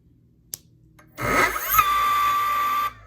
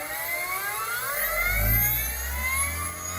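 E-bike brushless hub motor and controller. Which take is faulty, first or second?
first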